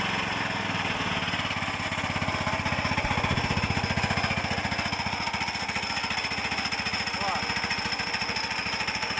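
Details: Tractor gearbox gives a loud, steady rattling drone with hum and thin high whine; the gears mesh poorly and won't bed in, so the owner plans to separate the reducer and fit another.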